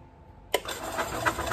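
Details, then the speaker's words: Early-90s Club Car Carryall after rotten oil was dealt with, cranked on a jumper pack with the plug disconnected: the starter spins the engine evenly at about four compression pulses a second, with no knocking or odd noises. "hey look at that it sounds good there's no knocking no funny noises so uh I think we've got a winner here"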